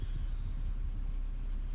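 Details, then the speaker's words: Automatic transmission of a 2005/2006 BMW 525xi E60 that slips, has no reverse and went into limp mode despite new seals: a deep uneven rumble in reverse and drive that stops in neutral. Owner wonders about leaking seals. "Now you can hear it in reverse. Neutral, it stops. Put my foot on the brake or drive."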